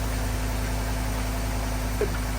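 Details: 2014 Ford F-150 after crank-no-start fuel issue, melted fuel pump relay fuse found, fuse relocated to a new 20 A fuse: engine catches and settles into a steady, even idle with a low hum, starts and runs fine.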